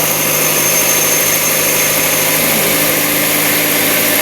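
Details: 2011 Kia Rio after engine control module repair (burnt capacitor replaced) for a no-start: starts and holds a steady, even idle with constant hiss and hum, no stumbles, knocks or surges; idling normally.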